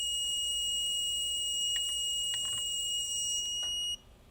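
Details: Dell G15 5530 laptop that died after a RAM upgrade, on a bench supply pushing about 5–6 amps at half a volt into a shorted rail; steady shrill tone for about four seconds, then cuts out, likely power supply alarming under heavy current.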